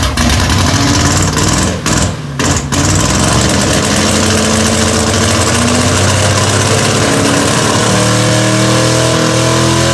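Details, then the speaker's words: LS V8 swapped into an FRS, out of gear, after throttle cable adjustment following an earlier run to redline: loud, fast, lumpy running that never drops to a low idle; idle stuck high, cause unknown. "still higher idling I don't know why it's doing that"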